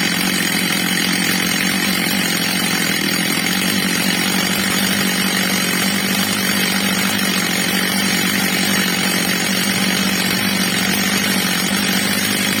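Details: Old, well-worn Stihl MS230 chainsaw after fitting a new replacement carburettor, during its adjustment: steady high-pitched wail held evenly at full throttle without surging or sputtering, normal high-speed run.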